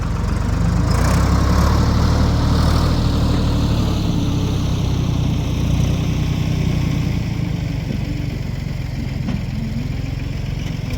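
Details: 1973 Ford 4500 industrial diesel backhoe, revived from scrap, working on stumps at end of the day: deep steady diesel beat about three per second, smooth under work; machine ran great all day.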